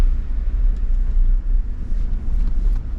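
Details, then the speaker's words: 2015 Ford F150 XLT FX4 5.0L V8 on a test drive after replacing the IWE 4WD vacuum actuators, out of four-wheel drive: steady low road rumble, no axle whine, smoother and quieter; normal front axle in two-wheel drive. "It's not engaged, much smoother turning, much quieter too. I don't hear that big axle whine where it sounds like it's in sport mode."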